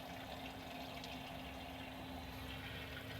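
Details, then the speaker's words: Small boat bilge pump rated about 1,100 gallons per hour draining accumulated water from a channel into its well: a steady low hum with water gushing and splashing. It runs evenly and pumps fast and normally. "And look how fast now. Again, this little pump is only designed to pump 1,000 what is it? 1,100 gallons per hour."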